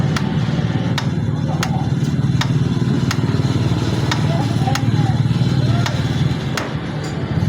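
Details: Honda CG125 Deluxe motorcycle at low idle: light sharp ticks about once a second over a steady rumble; tappet noise from loose valve clearance, owner reports tick-tick sound.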